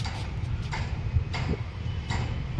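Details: Chevrolet Beat body rocked by hand: sharp knocks repeating about every 0.7 seconds; shock absorbers and mountings worn out, with oil leakage; worn shock absorber and mount knock.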